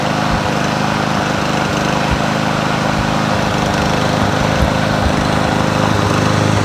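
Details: Troy-Bilt TB110, 550EX 140cc push mower: uneven, stumbling beat with occasional missed firing; owner suspects inconsistent spark or a coil issue, not confirmed.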